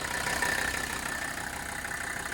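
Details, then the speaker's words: 1984 Mercedes-Benz 300D turbo diesel W123 after replacing vacuum line fittings for a vacuum leak causing prolonged shutdown/run-on; steady even diesel clatter at idle, runs smooth, smoke test showed nothing obvious, still warming up. "It runs smooth. I did a smoke test. There wasn't anything glaring as far as the smoke test is concerned."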